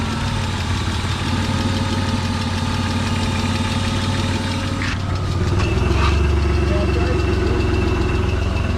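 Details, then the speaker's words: BMW E36 convertible just after oil pan replacement, smoking from oil-coated exhaust; uneven lumpy wavering idle like a vacuum leak; idle control valve popped out of its loose grommet. "i think it's just the exhaust it's coated in oil but it is idling like it's got a vacuum leak which is weird you can kind of hear it"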